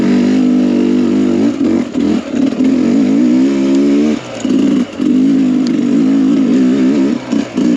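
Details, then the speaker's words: Sherco two-stroke with Smartcarb SC2, second gear up small trail hills: crisp buzz rising and falling with throttle, no misfire or bog, sounds less powerful but pulls better, rider thinks from more low-rpm power; normal acceleration. "So just up those little hills, second gear. The bike just has more pull. It doesn't sound quite as powerful, but it just pulls better."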